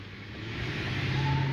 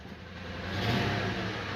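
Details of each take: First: Lincoln Town Car with Coyote swap, after fixing cylinder 7 misfire with new part: short smooth rising rev, clean even note without stumble, power not lacking; normal revving. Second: Lincoln V8, cold start before repair, revved twice: rough, uneven lumpy idle and rev from cylinder 7 misfire (code stored); car also sluggish when driven.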